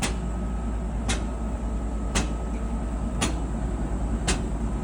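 A hollow knock lands roughly once a second over the steady tumble hum, keeping time with the drum's turn. Cause suspected, not confirmed.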